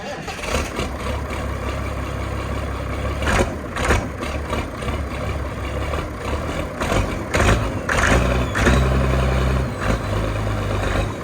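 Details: 6060 tractor with loader, started with a little ether, driven off a trailer: deep, steady diesel clatter amid rattling and movement noise; runs and drives great, strong power, no blow-by; normal running.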